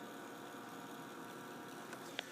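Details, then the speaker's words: Steady whirring hum with a faint high whine from a Power Mac G5's power supply; fan bearings worn out, fans to be replaced. "I don't know if you can hear it, but the bearings are pretty worn out on those."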